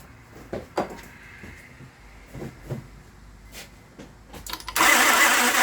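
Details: Honda with crank-no-start (towed in, ether gives no fire): starter cuts in and out in short scattered whirring bursts, engine never fires; not operator switching, likely worn ignition switch contacts not passing 12 V to starter solenoid, suspected not confirmed.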